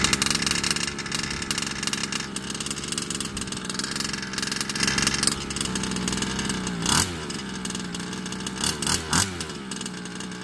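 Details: Rovan Baja 5B two-stroke, brought in for sounding unhappy, on fresh fuel mix after carb cleaning: idles unevenly with sputters and sharp blips that catch and fade; running rough, carb or piston ring suspected.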